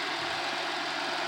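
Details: Pontiac Bonneville 3800 that ran like a blown head gasket (P0171), after upper intake repair: smooth, even hiss-heavy idle with no stumble or miss, no overheating.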